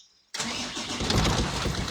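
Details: Mitsubishi 6M60 diesel that previously cranked but would not start, after the fix: quiet, then the diesel catches at once and settles into a steady, healthy idle with no stumbling; normal start.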